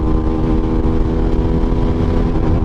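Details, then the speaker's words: SBM250s motorcycle held at the rev limiter while riding, cut reported near 95 then reaching 118–119 km/h: high steady engine with choppy, stuttering ignition cut; rev limiter cut. "Eu vou deixar a moto cortar, olha aí."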